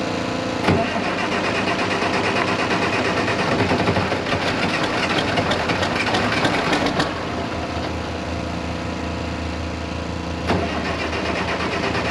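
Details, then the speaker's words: 1086 diesel after injection pump work, fuel filters not changed: at wide open throttle it catches with a rough, skipping chug for three or four seconds, then fades out as if fuel shut off; starts then stalls, cause unclear. "what it's doing is wide open throttle it'll crank up for like three or four seconds i'll show you in a minute it sounds like it's skipping and it's like you just shut the fuel back off"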